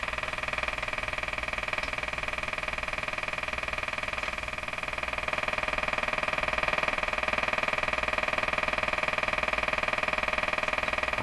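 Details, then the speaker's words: Circa-1935 Emerson 34C tombstone tube radio, first power-up: steady buzzing hiss pulsing about four times a second drowning out any station; interference noise from an unknown source. "okay um only we can't hear it over this interference so if that's broadcast this is probably short we but I don't really know"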